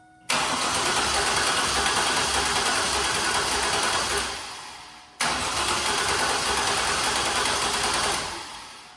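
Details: 2000 Chevrolet Camaro that won't run: two four-second cranking bursts with an even chug about 3.5 beats/s and no firing. VATS key resistance checks OK and a bad battery is possible; the previous crank backfired, suspected unburnt fuel, and the muffler may be clogged.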